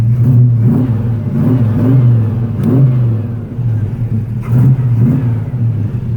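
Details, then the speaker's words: 1934 Chevy with a 700R4 automatic, started cold on a roughly 87°F day, cold oil pressure about 50 psi: V8 blipped a few times with a deep, even burble, no miss or knock, no smoke, sounds healthy. "all right no smoke let's get it in the garage"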